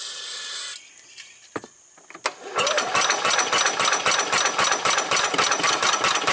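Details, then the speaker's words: 1990 Club Car golf cart engine on near-dead battery: catches in ragged, uneven pops about four a second, never runs; fuel filter not filling, suspected wrong replacement carburetor. "okay okay well I finally got it to fire a few times"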